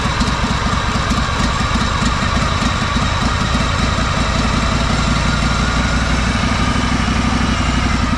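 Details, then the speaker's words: Honda 4118 riding mower, GXV 610 twin, new coils, started with a little choke: lumpy, stumbling beat at steady throttle that never clears up; rough, sputtering running, cause unknown, owner plans checking valve adjustment. "It'll do that. It won't It'll never clear up. Sometimes it'll clear up if I listen to it."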